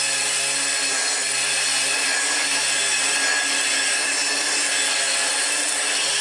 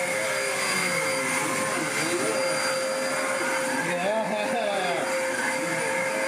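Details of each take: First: Car-boot-sale Dirt Devil upright vacuum (UK variant) after refitting belt and bag: steady, harsh, hissy roar with a rough scraping edge; the brush roll makes the noise, and it sounded better without the brush fitted. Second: Loud steady motor roar with an even high whistle, no surging, rattling or scraping; car-boot-sale Hoover upright vacuum, cleaned up and running healthy, needing new bags next.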